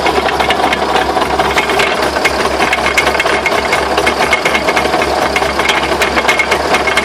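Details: Rapid, uneven metallic knocks and clatter under a thin mechanical hum, a driveline knock; owner asks what the knocks are and whether the drive shafts can be considered bent. Cause unclear.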